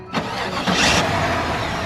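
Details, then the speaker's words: Impala SS (rebuilt salvage title) cranks briefly and starts right up into a super quiet, smooth idle with no ticks, pinging or banging. Oil looks good with no shavings, and the transmission fluid is fine. "starts right up. Super clean, super quiet, no ticks, no pinging, no banging, no nothing."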